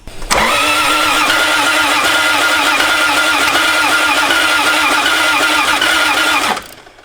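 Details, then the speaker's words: Toyota 1JZ VVTi swap, first start attempt: steady starter churn with even pulses about four a second for six seconds, never catches; cranks but won't start, ECU voltage drop suspected, extra grounds added. "try one more time well just keep trying it ah dang starter so if we got it to kind of run when the fuel comes off"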